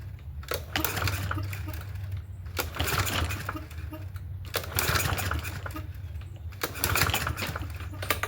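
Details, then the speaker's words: Free Yard Machines 21-inch push mower, 163cc engine, as found, cool 50s weather: repeated recoil pulls, each a brief spin with a few compression chuffs, never catches; seems to have some compression, owner suspects a dirty carburetor. "Okay. So, no go on that. It feels like it's got a little bit of compression, but probably a dirty carburetor."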